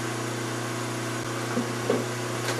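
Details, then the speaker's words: Rigid-mounted three-phase motor on a wooden bench, run on single phase, after cleaning the corroded capacitor terminals: even, steady low hum with no knocks, rattles or wavering; motor running smoothly. "that motor is running like a Swiss clock hope you enjoyed the video thanks for watching and have a good one everybody"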